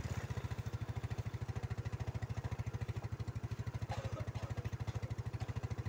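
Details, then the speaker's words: Yamaha Mio scooter with a recurring flat-battery problem, idling one to two minutes so the battery charges: even thump at about ten pulses a second, steady with no rattles or misfires; normal idle. "हम इसे लगभग 1 मिनट, 2 मिनट के लिए चालू करते हैं हां, ऐसा इसलिए है ताकि बैटरी पहले चार्जिंग से करंट से चार्ज हो जाए।"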